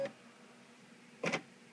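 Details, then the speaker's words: Bernina Artista 200/730 embroidery module (same style as 600-series 630/640) in service program, X-axis sensor test: two brief whirring bursts as the hoop shifts left-right a little, then stops; green OK screen, sensor normal. "group will move a little bit if everything's ok with that sensor you'll get a green screen here it says okay so that one's good"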